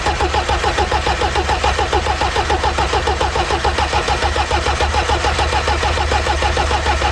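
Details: Polonez diesel that has sat since August: the starter cranks steadily at about 3.5 beats a second after the glow plugs are heated, but it never fires; fuel is not being drawn or sprayed, and the cause is unconfirmed.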